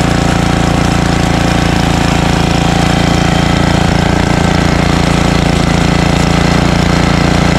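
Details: Ariens ST1128 dual-stage snowblower, 11HP Tecumseh Snow King engine, after carburetor cleaning and pilot jet fix for surging, cold day. Despite an apparently ~5HP carburetor, a constant, regular firing beat at steady speed with no surging: normal run.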